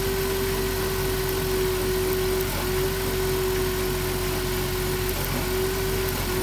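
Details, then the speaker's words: 2007 Dodge Grand Caravan rough idle with a periodic stumble: the number two spark plug wire boot is damaged and arcing to the engine block, and the fix is to replace the plug wires. "well that's what's going on the spark plug wires damage look at that so we gotta replace the plug wires easy fix"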